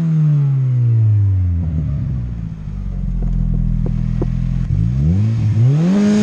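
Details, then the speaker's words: Honda Integra on Crome, full exhaust, two-step anti-lag at 30 degrees ignition retard and 10 percent fuel enrichment: revs drop then hold on limiter with sharp exhaust cracks and pops before climbing; launch limiter working. "and this is how it sounds with a full exhaust even I got this frickin two-step pretty dialed in guys"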